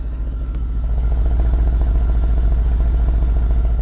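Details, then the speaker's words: Mercedes CLS63 AMG Brabus Rocket 800 in Sport Plus with idle raised, low on fuel, recorded close at the carbon-fibre exhaust: deep loud burble beating evenly about 3.5 pulses a second; engine quiet up front, clean steady idle. "The engine up front is very, very quiet. The exhaust is the money maker."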